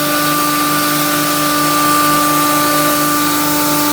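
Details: Rice-grinding machine (rated 20–25 kg per hour) running with over 2 kg of rice feeding through: steady high motor hum, constant whine and even rushing grind, no knocks; normal grinding operation.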